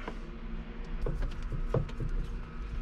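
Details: 12 V water pump in a camper van, replacement for one that quit after about a month and a half, running with its pressure screw backed off: soft low hum with irregular light pulses and clicks as it cycles; normal pump operation.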